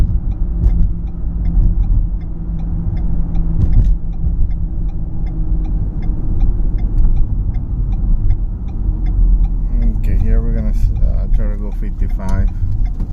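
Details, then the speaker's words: 2012 Ford Fusion SEL driving past 35–40 mph: steady low drone louder around 50–55 mph with tire roar and possible slight vibration; speed-related hum, source not yet pinned down. "It gets louder at 50, 55, and I think there might be a little bit of a vibration."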